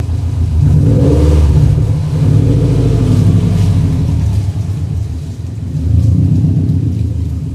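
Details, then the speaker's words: Fully built Subaru EJ25 flat-four, rebuilt after suspected bent valves, revving outside garage before first drive. Deep even boxer rumble swelling smoothly with each rev and settling back, no knock or tick; sounds much better than before, owner hopes issue fixed. "But, it sounds a lot better than it did. I'm hoping that fixed our issue."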